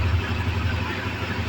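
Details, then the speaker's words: Honda CB Twister (CB250F) on a later day after fixing fuel pump noise heard when injecting, pump refill replaced: low steady idle, no whine or buzz from pump area; running normally. "já é um outro dia né a moto tá funcionando perfeitamente graças a Deus parou né o o barulho agora ó injeta normal bateu"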